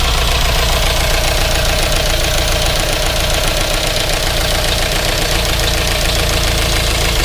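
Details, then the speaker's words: GMC Yukon Denali 6.2L LS V8 with DOD, just reassembled, driver valve cover off, cold day: fast light ticking over even idle, about four ticks a second; front and rear DOD lifters not pumping oil to pushrods, unoiled lifters. "those front two rockers there's no oil coming under the the push rods and the back one is also not pushing any oil out"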